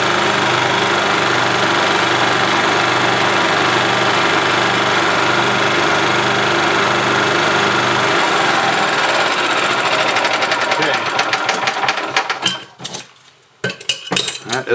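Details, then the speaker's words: 1991 Yamaha G8 gas golf cart, single-cylinder engine that had been dying a few minutes after starting: with carburetor junk cleaned out, fuel pump replaced and mixture screw being trimmed, a steady even chug of about 3.5 beats a second settles into a normal idle. "working as it should all right guys well there you go carburetor had junk in it and the fuel pump was shot"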